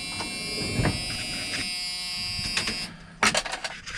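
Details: Truck windshield wipers after repair, checked with everything back in place: faint steady high motor whine with soft regular thumps as the arms sweep; wipers run smoothly and sound healthy.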